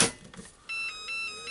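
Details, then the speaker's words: Makita DC18RC 14.4–18 V Li-ion charger: click as battery seats, then short high electronic melody plays (chosen by reinserting the battery); same melody plays when charging completes. "And as you can hear, when I'm putting the battery in, the melody plays. And yeah, it will play when the battery is charged."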